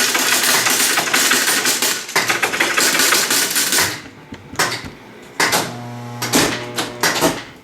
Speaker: Now it's searching for the winning combinations.